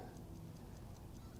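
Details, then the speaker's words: Vintage Howard Miller ship's bells clock after repair, fully wound, no longer stopping when moved: crisp, even ticks about five a second over a low hum; clock running fine. "just it's running fine and I can hear it ticking away nice sound"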